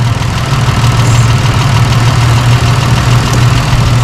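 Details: Holden Rodeo 2005 (2008 also stated) being treated for a misfire, still cold, idle raised to about 900 rpm: a loud, deep, even idle with no stumble or shake and a steady low rhythm; all six cylinders firing cleanly, normal idle.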